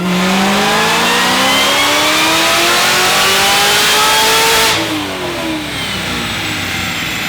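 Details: ZL1 Camaro V8 after replacing a bad mass airflow sensor that had fouled the spark plugs by running too rich: revs smoothly up, holds high and drops back cleanly with no popping or header ticking. Normal, sealed exhaust note.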